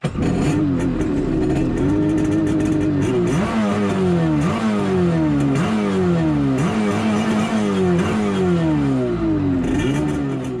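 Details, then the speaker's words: Jet ski two-stroke blipped up and down at idle after being apart, over a constant harsh clatter; pump very noisy, owner suspects the pump or a bad bearing, while the engine idles well and starts fine. "pump is very noisy which kind of concerns me it shouldn't be um because i just had it apart maybe that's why it's noisy but uh it idles the engine sounds good it's starting fine"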